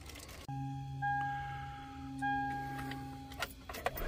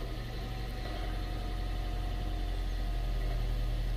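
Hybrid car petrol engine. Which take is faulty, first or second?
first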